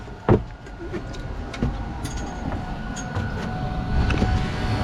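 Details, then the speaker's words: Newly wired boat engine-compartment ventilation fan, first test after connecting to the fuse panel: faint steady whirring over a quiet background with a few knocks; powerful but noisy, runs smoothly. "ouais on l'entend l'uteur il est là ça ouais jeentends c'est puissant quand même c'est puissant mais ça souffle c'est puissant mais bruillant"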